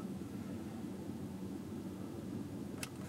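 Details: Chevy Tahoe on a test drive after the misfire repair: a steady, even engine drone with no stumbles or jerks; the scan tool shows no misfires.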